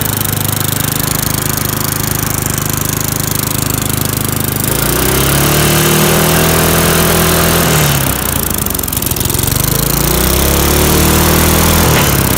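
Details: Free lawnmower after cleaning the carb and points: strong, steady single-cylinder run, then revs sag and rise with popping backfires on deceleration; owner suspects it is running rich.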